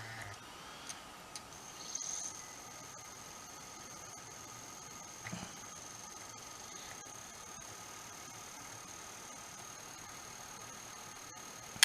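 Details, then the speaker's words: PlayStation 2 Slim after spindle motor replacement, disc pushed down to seat: faint, steady high whine while the disc spins, with no click or wobble; the new spindle motor runs smooth, unlike the clicking old one. "That's more what I'd expect. The last one, there was a kind of a click into it or something. Something didn't seem right. That sounds perfect."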